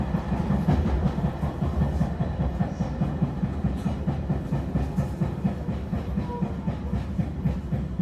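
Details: E721-series train running between Nagamachi and Taishido: a steady, rapid low thump about five times a second over the rolling rumble, beating with wheel rotation; bad underfloor noise from a wheel flat.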